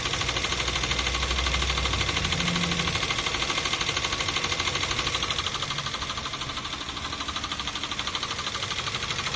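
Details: 2012 Toyota Avanza 1.5 L 3SZ-VE I4 petrol engine idling with a steady sharp knock about twice a second, unchanged after oil change and replacing all four spark plugs.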